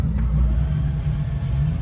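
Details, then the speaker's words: Car that broke on track at Powercruise, with a suspected rod or valve failure and a possibly broken crank, being cranked over. Smooth, low whirring with no compression chuffs, like the plugs are out. No compression. "Oh, dude. Sounds like a rotary, no compression. Literally sounds like when you pull the fucking plugs out of it."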